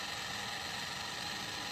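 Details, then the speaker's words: Brand-new Dr. Infrared heater, first setup: constant raspy ratcheting grind with hiss behind it, far louder than expected; gear noise or something caught in fan suspected, owner thinks unit defective. "I don't know if that's gear noise or something caught in a fan or what, but that is not what I expect for a device that's supposed to be whisper quiet. So I'm thinking it's defective."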